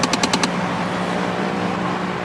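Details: Nissan Navara with 6-speed manual, heard in the cabin: a quick run of about five sharp rattling clicks over a steady hum, then it settles. The source is unknown, possibly the fan, not confirmed. Intermittent rattle.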